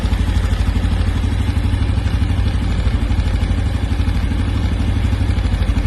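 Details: New 2025 Honda Biz 125 single at low steady idle: rough clattery tapping about three per second; engine clatter, cause suspected but not confirmed.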